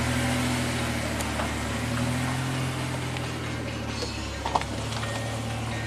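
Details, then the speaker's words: 1991 Ford Probe, Vulcan V6, 5-speed manual, 129,000 miles, on the road: steady, even engine drone under road and cabin noise, no knocks or misses; normal running. "this sounds pretty good but we'll see on the road if it gets annoying the shifter is butter smooth"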